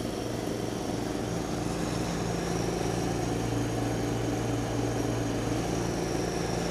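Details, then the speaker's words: 1989 John Deere RX75 riding mower cutting heavy grass: the single-cylinder drone holds an even, steady pitch with no misses or surging. The deck may be cutting a little low; it is running normally under load. "uh it might be cutting a little low it's really cutting a lot of grass here throwing it all over the place"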